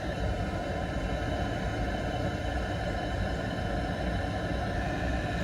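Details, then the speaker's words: Oil-fired boiler restarted after service with a broken pump replaced, before resetting CO2 with analyzer: steady low roar, even rumble, no grinding or pulsing; burner running normally. "just let that start up outside and then i'll set it all back up while the ball is running make sure we've got no other problems"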